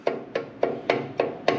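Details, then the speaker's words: Harley-Davidson front wheel with a loose floating brake rotor: six sharp metallic clunks, about three a second, as it knocks on its carrier, causing front-end clunk; another rotor is solid. "you see that you hear that all right it's not supposed to do that these are floating rotors and this one's nice and solid"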